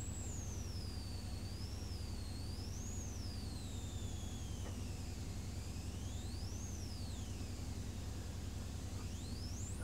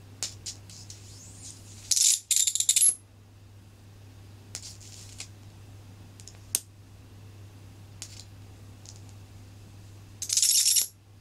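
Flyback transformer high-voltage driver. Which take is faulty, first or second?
first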